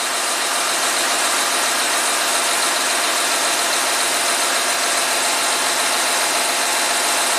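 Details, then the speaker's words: 2014 Audi Q7 TDI with engine running, fault codes for excessive compressor temperature and valve switching duration: a steady, high hissing whir as the air suspension compressor raises the front end. It may overheat if lifting takes too long. "okay now you can hear the compressor run let's see what's happening outside it's definitely lifting up it's raising up the front end and if it takes too long the compressor will overheat"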